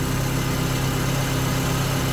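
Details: Classic Mini, first start after ignition work, valve adjustment, fuel pump swap and choke correction: even, steady idle with a smooth low beat and no knocks, misses or ticks; idles well, but it still smokes at idle and won't rev.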